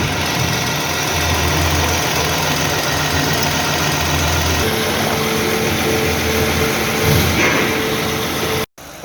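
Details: 2009 Toyota Highlander 3.5 V6 after replacing drive belt and belt tensioner: steady, even idle with smooth hum, no chirp or rattle from belt drive; noisy tensioner fixed.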